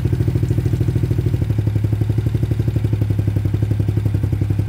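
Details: Trailmaster Challenger 300 go-kart/side-by-side after replacing a broken carburetor (it used to die when stopping or releasing the gas) and adjusting the new carb: small single-cylinder thumping at about four beats a second, steady and even, pitch stepping up slightly; now idles by itself, running smooth.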